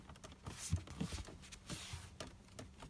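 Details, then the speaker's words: Mercedes W204 C63 AMG cabin: dash trim creaks and flexes, with soft ticks and no engine sound; worse while driving, owner unsure if due to the car's age. Interior trim creaking. "like obviously when i'm driving it's a lot worse like when you can hear the sunroof or like this like the dash just like flexing all the time just like through normal driving where it's bumpy or not by bumpy road you just hear a lot of creaking"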